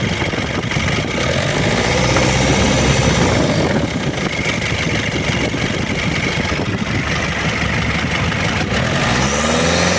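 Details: Diesel engine bought as a replacement for a car: loud, harsh clatter at idle with a coarse uneven beat and a couple of small revs; runs rougher and noisier than it should, judged unfit and to be returned to the seller.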